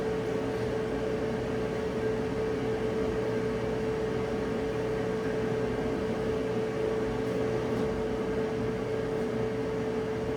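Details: Electric dryer after teardown and lint cleaning, on a short heat test checking the cycling thermostat clicks off: steady even hum and airflow rush, no scraping, thumping or squeal; normal operation.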